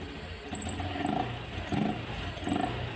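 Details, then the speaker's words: 2021 Honda Scoopy FI scooter after CVT cleaning and cover refit, throttle blips with air filter not yet installed: hollow, breathy intake roar and hiss from the missing filter. "untuk suaranya seperti ini ada bunyi cheat juga ya itu efek dari filter yang belum dipasang karena belum ada nunggu harus beli dulu"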